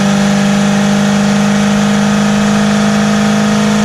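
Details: 454 motorhome after replacing corroded, rusty distributor with failed HEI module (previously backfiring through throttle body): loud, steady engine note holding even pitch under throttle, no pops or coughs through intake; normal acceleration, healthy.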